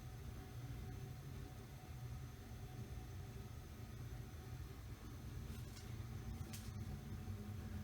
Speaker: the gas water heater is currently heating that's what that whooshing sound is in the background